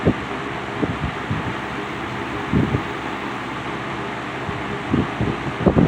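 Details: Vintage Wizard window box fan on high speed after original motor rebuild with bearings and end caps transplanted from a Lakewood X22; steady air whoosh and even hum, no grinding or rattle, running well.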